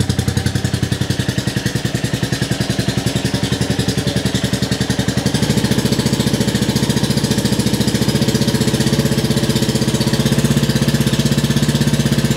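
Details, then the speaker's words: Rebuilt 2022 Royal Enfield Classic 350, first start indoors after restoration: even, steady single-cylinder thump with no knocks or rattles; it starts and runs, though the exhaust is loud and blatty through the fitted silencer. "it's done I can't believe it it starts it runs"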